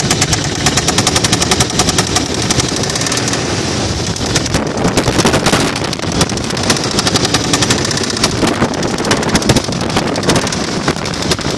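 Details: 1995 Toyota 4Runner 3.0 V6 idling with heavy, rapid hammering knock from a connecting rod loose on the crankshaft: rod knock.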